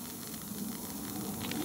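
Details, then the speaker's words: Wilesco toy steam roller steamed up from a cold boiler as water starts to boil: soft, steady hiss slowly building over a low simmer. The safety valve is starting to leak a bit of steam. "and the safety's just starting to leak a bit"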